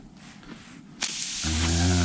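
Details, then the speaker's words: Tubeless ZR-rated motorcycle tyre with debris in the puncture, possibly metal, being dug out: after a second of quiet, a sharp steady hiss of escaping air starts; the tyre is actively leaking through the puncture. "You can hear that going down now. Can you hear that?"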